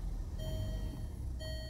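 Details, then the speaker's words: 2014 Range Rover Evoque after replacing the camshaft sensor for code P0016: even, low idle rumble with no knocks, ticks or hunting and a repeating chime over it; normal idle. "no knocking no no nothing no idling sounds good"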